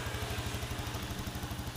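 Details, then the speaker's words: Yamaha Jupiter Z1 that had error code 46 and previously wouldn't idle due to an electrical problem now idles with a steady, even putter and no misses. Charging reads 13+ V with the engine running versus 12.x before. "Nah ini udah hidup motor ah langsam sudah enak Tadinya enggak mau langsam kok motornya memang"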